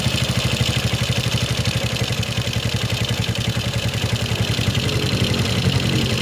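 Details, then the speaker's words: Suzuki Shogun 125 carburetted single after the fuel line fix and air-screw adjustment: a steady, even low putter at a settled idle with no misses or hunting; normal idle. "the speed is normal, let's go for it"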